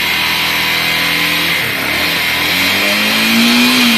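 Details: Honda Bros 150 motorcycle after its engine noise was fixed: the small single revs cleanly and settles back, pitch following the throttle, with no misfire or knock. Normal running and revving.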